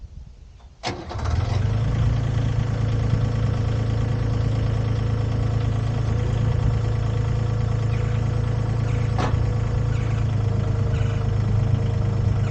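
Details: Used Komatsu PC10-3 mini excavator, SN 6097, started with the hood down: brief crank, catches at once and settles into an even low idle, no misses or knocks; owner says it starts like a dream.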